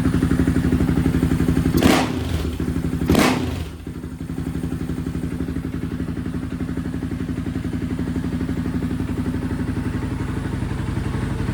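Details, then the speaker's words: Honda TRX 700 single-cylinder switched to Vortex ECU map 1, possibly stage 3 cam: two brief revs then steady, even idle thump with no misses or stumbles; running better and smoother, owner unsure if now lean. "Alright, so I put her on map number 1 here. And she seems to be running better."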